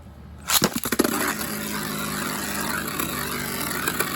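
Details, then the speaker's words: Beyblade bearing drive setup with hybrid wheel, metal face light removed, spun on the side of the bearing drive tip during balance tuning: steady, slightly rough rattling buzz from imbalance after launch clacks. "that sounds not too bad but you heard a little bit of rattling in there that like the sound you kind of want to avoid that"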